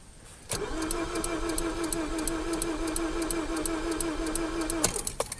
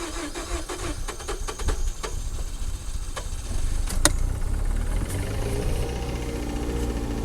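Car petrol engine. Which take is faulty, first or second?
first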